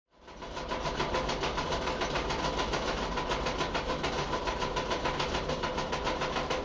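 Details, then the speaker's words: LG dryer running: loud, rough rumble with a steady clatter about three to four times a second. The drum support rollers are worn and clogged with dust and hair, causing them to skip; the fix is replacing the rollers. "place these rollers what happens these rollers get a they get crap in them they get like you know dust and hair or whatever else and uh anyway they start skipping"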